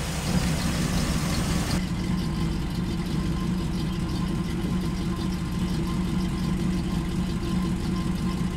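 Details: Freshly rebuilt small-block Chevy 350 bored .030 over (355), 10:1, in break-in, valves just adjusted, heard from front: steady low even burble, no ticking or knocking, still a touch cold but running smoothly; normal idle.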